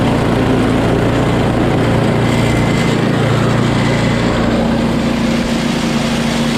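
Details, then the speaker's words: Small single-cylinder snow blower engine after a carb clean and a likely primer hose fix: steady, even buzz with no misses or surging; running cleanly, the real problem was not enough fuel. "I just did a carb clean for nothing. Just didn't have enough gas in it."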